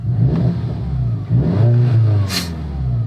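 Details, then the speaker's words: MK6 Jetta GLI with 250,000 miles, restarted after reassembly for a suspected badly stretched timing chain: crisp throttle blips rise and fall cleanly and settle back without stumbling. The engine sounds normal and healthy. "oh yeah man this thing's running good let's [Music] see uh motor sounds pretty normal"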